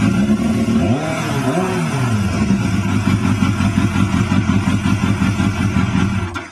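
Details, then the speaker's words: 1997 Yamaha FZR 600 street-bike rebuild with a newly fitted exhaust. It catches quickly, gives a couple of crisp blips, then settles to an even idle with no misfire or knock. It runs normally. "The new exhaust is on. It sounds awesome."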